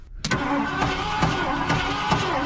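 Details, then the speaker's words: Old Ford candy van being revived, cranking on the starter: whirring with heavy, slightly uneven knocks about twice a second and weak-sounding compression; owner suspects rod bearings or a holed block, unconfirmed. "oh that's a bad noise shaco holy jesus what is that is that does that sound like rod bearings hole in the side of the block"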